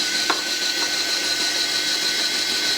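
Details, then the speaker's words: US military RT-834 HF transceiver (GRC-106A), out of its case with a receive/transmit frequency fault, retuning from 10 MHz to 3 MHz: steady high tuning-motor whir under three seconds between two light clicks; lands right on 3.0000, motor healthy. "Okay, so it retuned. So, it's right on 3.0000."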